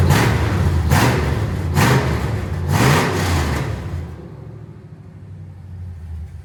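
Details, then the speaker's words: Rebuilt cateye vehicle running and driving again: revs surge and sag about once a second instead of holding steady, a loping, uneven run; owner says it runs a little weird and seemed to cam out; engine running rough, cause unclear. "She is running a little weird. Son of a [ __ ] Oh, I'm getting mad."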